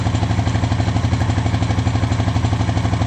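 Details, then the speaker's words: 2013 Honda Rancher 420 ATV, after stator replacement; steady, even single-cylinder idle about 2.5 beats per second, no knocks or misses; charging 14-plus volts; normal idle. "Okay, and the stator's working. We're getting 14 some volts, so we're good to go."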